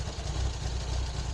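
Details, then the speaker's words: Renault R8 project car idling about two minutes after a cold start, with no choke fitted and the ECU managing it, after resetting the valve clearances, fresh oil and coolant and setting base idle; a steady, even low burble with no knocks or misses, sounding healthy. "And that is about 2 minutes after a cold start. And I still haven't even got a choke on this thing, so the ECU's doing its thing to sort that out."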